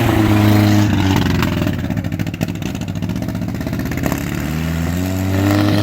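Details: Willys CJ2A Jeep, probably 1946–49, with a used replacement engine that smokes heavily and had a bent distributor shaft, first start on full choke: revs then sags and hunts unevenly, keeps running only with throttle held, won't idle alone.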